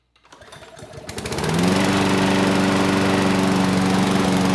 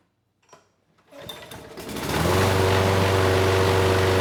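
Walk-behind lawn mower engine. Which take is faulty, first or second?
first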